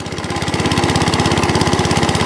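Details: Cylinder lawn mower started on choke, with some throttle: brisk, even buzzing firing with steady beat, no knocks or misses; engine runs healthily and cylinder turns, but a broken cable is found that won't retract.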